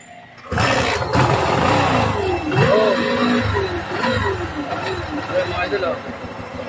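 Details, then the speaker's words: Honda CT125 with sidecar, revving with a loud droning, speaker-like whine (sounds turbo-like) that rises and falls with throttle; suspected engine bearing noise, unconfirmed; starter dead, weak battery; clutch lining among parts replaced. "Bearing doon ng makina ang maingay. Naugong po na parang speaker mga idol."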